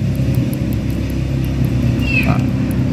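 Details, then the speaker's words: Kawasaki KLX150 single-cylinder idling after fitting a PWK carburetor: light buzzy rattle over the engine beat from the carburetor slide needle vibrating, set too high, with a defective slide piston lifting; louder when the throttle is pressed. "Biasanya kalau teman-teman ganti karbu, ini selah bunyi pada jarum skep ini ya, tuh. Ini selahnya terlalu tinggi nih."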